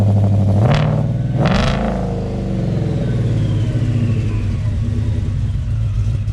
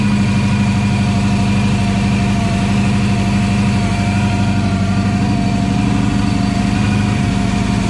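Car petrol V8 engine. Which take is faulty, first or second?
second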